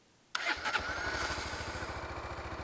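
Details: Honda CB 300 motorcycle making an odd noise when started: brief harsh whirring crank before the engine fires and settles into an even, rapid idle; mic near engine; owner first suspected injector, mechanic found starter motor fault, broken magnet, starter replaced.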